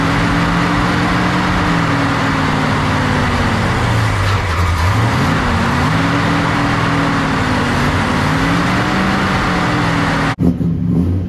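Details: Freshly built Mopar big block V8 in a 1967 Dodge Coronet 500 convertible, after fixing valves not closing fully: steady even rumble that dips and recovers smoothly through a blip, no ticks or exhaust puffing; running clean.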